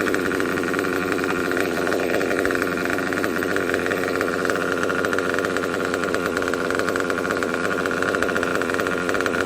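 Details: Kyosho KE25 Big Block nitro engine, tank topped up to half, during a high-speed needle tuning pass: constant high-pitched buzzing scream at wide-open throttle, no cutting out or sagging, good smoke trail, good performance. Healthy, properly tuned high-speed running.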